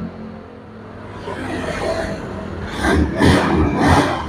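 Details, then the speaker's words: Honda Scoopy scooter after tightening and refitting the loose front head cover that had been vibrating and buzzing: the engine idles, then revs up in three clean pulls with no buzz or rattle. The cover is now tight and the scooter runs smoothly. "Nah, ini sudah tidak bunyi. Ketika mesin saya nyalakan, saya tarikkan. Nah, sudah aman, sudah kencang kalau sudah seperti ini."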